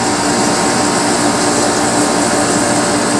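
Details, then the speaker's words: Portable aircon after a no-power repair and power supply conversion, non-inverter fixed-ampere compressor drawing 3.4 A at a 22-degree setting: a steady hum with a constant low tone over fan rush and no rattles or surges; it runs and cools normally. "Yun, mandar na agad yung compressor. Okay na, ayan o. Mandar ang compressor natin. 3.4."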